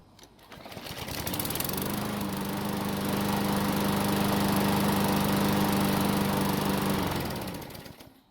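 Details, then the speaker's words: Murray lawn mower after service with the air filter back in place; hot restart after several minutes of running: engine catches within a second and settles into steady, even single-cylinder running with no misses or knocks: normal hot restart. "And luckily for us, it still started back up and ran great."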